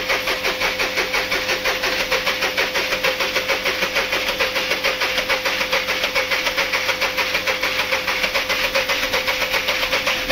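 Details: VW Polo 1.2 with engine rebuilt by another mechanic, start before timing check: fast sharp ticking clatter over idle with a steady high whine; source still to be traced; abnormal engine noise at idle.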